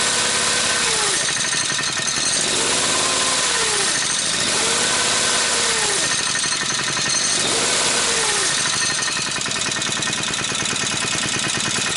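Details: Goofy Cart 2 after new idler pulley fitted: small engine revs up and down with a harsh rattly edge; drivetrain noise not from the pulley as first thought, suspected gearbox or clutch, not yet confirmed.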